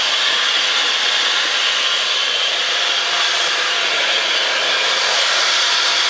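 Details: Mitsubishi Chariot (N43W) Space Wagon, 4G63 turbo, with the transfer case removed: constant thin whine around 3 kHz near the right front wheel and transmission-to-engine area over hissy background; transfer case apparently not the cause.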